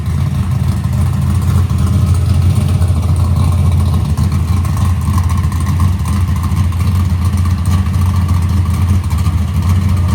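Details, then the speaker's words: Box Chevy carburetor intermediate-circuit tuning, warmed up, after a mixture adjustment: deep steady V8 rumble at part throttle with a slightly uneven, blubbery edge; wideband shows it still rich, though improved slightly. "A lot better. Still going rich, but it helped it a little bit."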